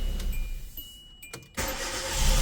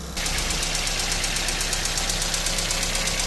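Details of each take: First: Hyundai Accent/Verna after dirty injectors cleaned, previously hard to start: brief crank, petrol engine catches at once and runs steadily; normal start, check light off. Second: Cold idle of a Hyundai Accent (Verna) with a rapid, even metallic valve tick that fades once warm; with low compression, an overhaul is needed to seat the valves.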